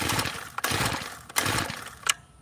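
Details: Tiller engine that would not run, with a screw being backed out in quarter turns: three quick rasping pulls of the starter cord with no firing. Cranks but will not start.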